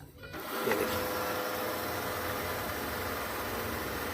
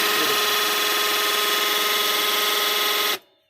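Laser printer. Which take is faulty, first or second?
second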